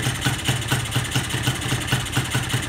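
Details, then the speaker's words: Carbureted engine with the idle/air screw backed fully out to the threads: an uneven, lumpy idle with irregular firing that almost stalls but keeps running; rich mixture from a pilot jet that is too large. "Ni sebab pilot terlampau besar. Ok, tak mati."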